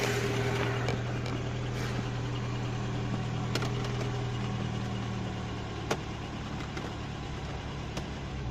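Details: IZh-2126 Oda, cold morning start after sitting; idle with faint uneven knocks over steady engine hum; knocking source cannot be pinned down.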